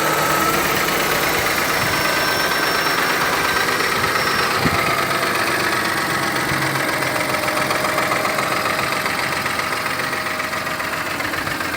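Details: Mercedes M272 V6 at steady idle with a fast, fairly regular ticking knock about 220 per minute; suspected stretched timing chain or cylinder scoring, the latter if the engine uses oil.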